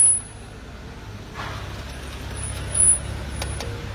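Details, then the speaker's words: BMW car, brakes applied: a thin, very high-pitched whistle over a low engine rumble; brake problem from worn brake pads. "Ha dia bunyi. Ha bunyi macam tu. Ada masalah brek."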